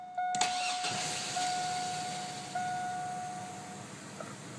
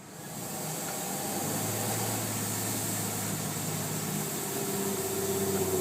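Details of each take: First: 2001 Chevy Blazer 4.3L Vortec, after new plugs, wires, cap, rotor, fuel filter and spider injector: quick crank, clean catch, even idle about 500–525 rpm, misfire gone; it still bogs at 1500 rpm under throttle: normal start and idle. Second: 2001 Chevy Blazer 4.3 Vortec, misfire cured by new spider injector after plugs, wires, cap and rotor were changed; fuel filter replaced, cat removed. Idles about 500–525 rpm, but on throttle the note sags and bogs around 1500–2000 rpm, cause unknown.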